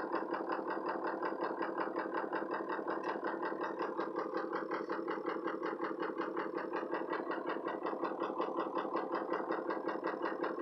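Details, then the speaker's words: Ford 6.0 Powerstroke diesel with no power, no accelerator response and no codes, Torque Pro showing VGT at 85%: uneven lumpy idle pulse, about 109 beats a minute, shaking; cause not yet found. "really rough idle number spots from the accelerator pedal Torq Pro shows vgt percentage at 85%"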